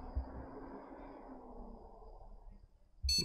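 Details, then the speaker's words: Gigabyte GA-H61M board with i5 2500S and GTX 960, powered on by shorting the power jumper on a second attempt: a single short high beep, but the display stays garbled; the fault is still unknown. "second attempt we've got a beep and we've still got that garbled display"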